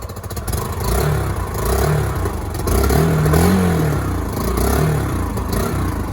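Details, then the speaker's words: Yamaha YBR 125 single-cylinder, 15,000 miles, after an accident: engine revved in a few quick blips, pulling up cleanly and dropping back smoothly, even firing, no knocks or rattles; sounds healthy. "No way. 15,000 miles on the old clock. It just sounds good."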